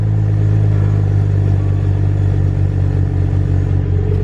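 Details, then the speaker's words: BMW 335i E90 N55 six after replacing all six spark plugs and ignition coils, started after sitting overnight: deep smooth even idle hum, no stumbles, rpm no longer bouncing; healthy normal idle. "RPMs look good, guys. They're not bouncing around anymore. Beautiful. That's what a healthy N55 is supposed to sound like."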